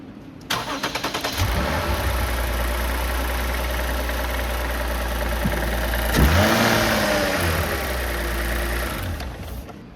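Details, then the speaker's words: 2013-2025 Lexus IS300 3.6L V6 started after replacing the 12V battery with an Optima Red Top: about a second of brisk, even cranking, clean catch, smooth idle with one quick rev. Normal engine start. "Okay, and the last thing I guess you would probably want to do is just start the car, make sure that it does start. So I'm going to fire it up, but that's pretty much it."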